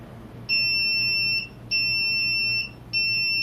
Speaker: you'll see the blue led indicated that the data card's bad but also instead of getting those angle tones that you heard before